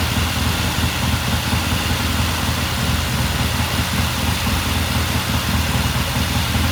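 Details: 1969 Triumph TR6 vintage British motorcycle, pilot jet cleaned and pilot air screw turned in half a turn for a richer starting circuit; after a cold start the twin ticks over at a steady, even idle with no misses, knocks or hunting: normal idle.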